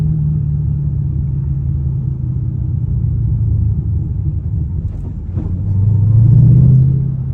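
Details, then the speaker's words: 2005-2009 Mustang GT V8 rumbling under load with an uneven, stumbling light misfire only under load, not at any rpm alone; owner suspects a lean condition or fuel filter, with carbon-fouled spark plugs also noted. "it's any RPM there's no misfire it's only under load so I'm thinking it's a lean condition so this might be a fuel filter or something fuel related if it is happening under load"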